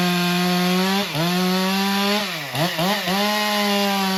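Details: Stihl MS462 chainsaw after service and auto-calibration reset, making a test cut: high, clean two-stroke scream that sags smoothly into the cut and recovers crisply; strong, even running under load with no hesitation.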